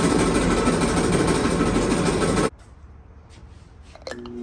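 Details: Kenmore Elite dryer model 79691073310, before repair; loud continuous rumbling roar with rough uneven churn – loud rough running noise, cause unclear.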